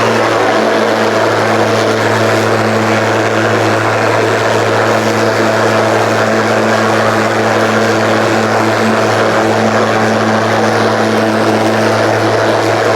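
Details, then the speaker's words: Ryobi 36V brushless mower with 46cm deck, running on two fully charged batteries in power mode through thick kikuyu grass. Strong, steady motor hum holds speed without bogging; it works less hard than on one battery, normal under load. "so you got a second battery in there it does give you that extra oomph you know this is not this is like not huge struggle"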